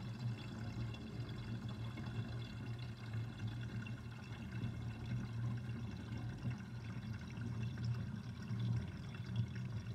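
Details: Kitchen sink draining with the overflow covered: a low, bubbling gurgle rolls on steadily for several seconds; drain gurgling, cause unknown.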